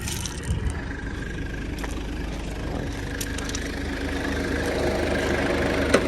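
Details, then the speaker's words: Normal idle under the hood of a 1996 Mitsubishi Delica L400 with the 4M40 2.8 L intercooled turbo diesel, 107,231 miles, after 2–3 minutes of running with no overheating or smoke. Even, quiet diesel idle with a soft turbo whistle, no knocks. "Under the hood, same thing, real quiet."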